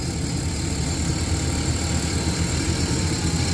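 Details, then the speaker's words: 1994 Chrysler Town & Country AWD, hot at idle: steady rumble with a faint airy hiss from a cooked, leaking vacuum line, possibly for the all-wheel-drive system. "yeah here that that's a vacuum leak we got to fix that right there"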